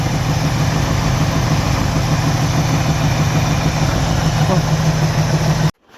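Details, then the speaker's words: 1984 Camaro Z28 350 V8, cold start at about 25°F after flooding and long cranking, recorded at exhaust: steady, slightly uneven low thumping idle; owner suspects rod knock, not confirmed. "Alright, so it runs. I'm pretty sure it has a rod knock."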